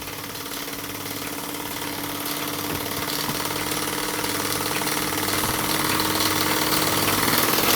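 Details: Newly assembled Myfordboy wobbler model steam engine running on steam from a low-output boiler, pressure unknown: quiet, even chuffing at about four beats a second over a soft steam hiss, purring smoothly; healthy engine.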